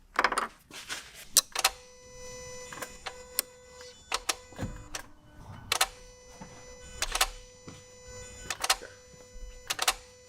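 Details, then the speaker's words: 2017 Toyota Yaris iA with intermittent no-start and stalling, code B10E7 and no power at the IG1 15 A fuse: no engine running, just irregular clicking and ratcheting like the throttle body opening and closing; low ignition voltage. "the car won't start it is clicking it sounds like the throttle body is opening and closing making a ratcheting noise"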